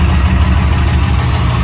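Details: Rebuilt 1987 Pontiac Firebird Formula 350/383 stroker V8 at idle, running smoother after the mass airflow sensor and timing were fixed; rockers recently lashed. Deep, steady, even rumble with audible lifter tick and no misses: normal idle.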